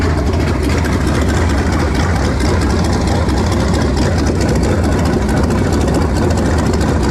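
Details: Warm V8 after swapping to a 2-barrel carburetor, vacuum port patched and taped, choke nearly open: steady, deep idle with a fairly even beat. Runs much better but mixture still sounds off, cause unconfirmed; slight smoke noted.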